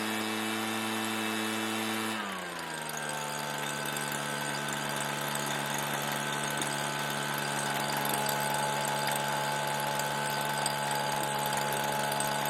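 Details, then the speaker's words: Redmax EBZ7500 backpack leaf blower, two-stroke, with aftermarket carburetor, fresh gas and smaller replacement fuel filter: drops from high buzz to steady lower drone without surging; now runs normally, owner wonders if the filter was the issue. "significantly smaller but now it runs i wonder if that is the issue"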